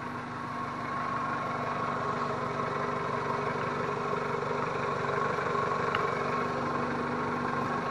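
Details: 2001 Toyota Camry just after replacing clogged catalytic converter (aftermarket pipe, gasket fit poor): engine fires up and holds a quiet, steady idle with even beat, no rattles or ticking; exhaust no longer smells of rotten fuel.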